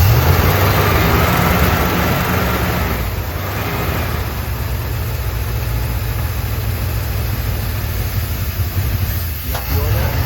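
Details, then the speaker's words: 1972 Dodge W200 Power Wagon V8, first run in years, oil pressure reaching 20–40 PSI: steady fast idle that won't come down, nearly wide open; fast-idle cam stuck on its top step with a rusty screw, later freed. "Yeah, it's not coming down. It's like wide open right now."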